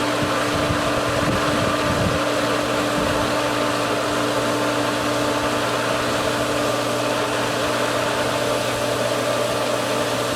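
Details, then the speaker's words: Pool pump after opening the winterized skimmers, west skimmer valve only half open: a steady motor hum with irregular gurgling surges as it burps air from the suction line a bit at a time. The pump is only partly primed and the basket is not yet full. "it's halfway open, so it's kind of burping the air, if you will. A bit at a time, which is why it has not filled the basket"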